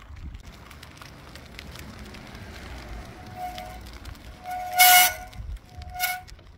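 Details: Mountain bike rear disc brake gives short, shrill squeals near 700 Hz each application; glazed pads, noise reduced but not solved after pad alignment, pad replacement may be needed.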